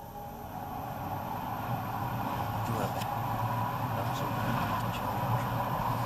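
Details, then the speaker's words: Rosenberg USA EC fan controlled by a potentiometer set to about half speed; click on power-up, then soft start, a steady low hum and soft whoosh building slowly and evenly to about 50% speed, running smoothly and healthy. "So as soon as we provide power to it, it'll only run about 50%. Again, you'll hear the click. Fan will slowly start to come up to speed."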